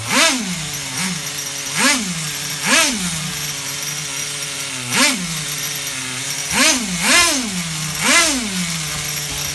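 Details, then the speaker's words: HPI RS4 Nitro F150 nitro engine being bench tuned, buzzing at idle. Quick throttle blips snap but stay revved up for a second before falling back, because the low-speed needle (bottom end) is still rich. "you guys hear that snap but you can also hear that it's staying revved up a little bit for a second"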